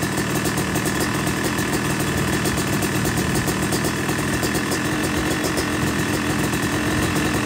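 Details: Yamaha YZ250 two-stroke motocross bike (270cc/250cc) after full engine rebuild (bottom end, transmission, bearings, clutch, power valve), second start-up after cooling, warming to about 100–125 degrees: busy crackling idle held steady, no misses or knocks; normal idle.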